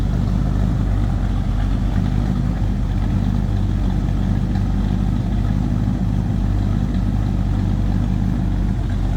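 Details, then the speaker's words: 1941 Chevrolet 2-door sedan street rod V8 with Edelbrock 4-barrel; smooth, even idle with a nice deep throaty exhaust note, no knocks or misses, healthy. "nice deep throaty exhaust note."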